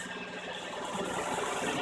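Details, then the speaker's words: 2004 Nissan Murano at idle after cracked exhaust downpipe flex pipes were cut out and new ones welded in: soft even hum with no puffing or ticking from underneath; exhaust leak fixed, normal idle. "Patrick you can start it up my lovely assistants get start it up now and we'll see it's all quiet now no more leaks"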